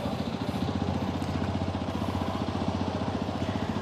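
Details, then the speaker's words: XPulse 210 motorcycle after an engine head replacement that cured an earlier tractor-like noise. Steady, even thump at idle with no clatter or rattle; the noise is gone and the engine sounds normal. "Noise ಗೊತ್ತಾಗ್ತಾ ಇಲ್ಲ ಗುರು ಇಂಚಿಂದ ಈಗ noise ಗೊತ್ತಾಗ್ತಾ ಇಲ್ಲ"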